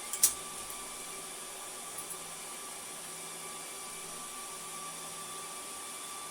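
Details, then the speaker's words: HP DL380 G7 server after its fan-control sketch is set back to 50%: fans immediately spin back up to a steady high rushing whoosh with faint whistling tones and no dips, loud at stock speed. "so the fans immediately go back up and I can totally hear them now but before I couldn't that's incredible"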